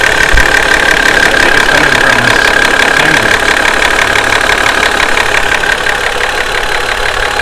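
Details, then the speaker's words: Toyota 2JZ-GE VVT-i at hot idle after a five-mile hard drive, noise worsens with temperature: sharp quick even ticking rattle; owner first suspected the VVT-i cam gear, but excessive valve clearance, needing valve adjustment, is the cause. "that's pretty bad so that's the noise I'm talking about listen noise I'm hopefully gonna be fixing here tonight"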